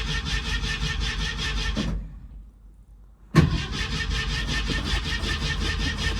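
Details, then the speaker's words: 1967 Ford Mustang with a 302 V8, sitting since 2008, fuel just added: steady, rapid cranking, a pause, then more cranking with no catch. Engine turns but won't fire. Fuel delivery is suspected, not confirmed. "Hopefully, we're pumping fuel. I put about six more gallons in. Might have to pour some down the throat."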